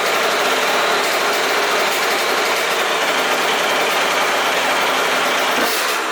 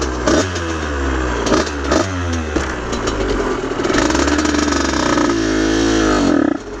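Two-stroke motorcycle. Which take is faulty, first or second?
second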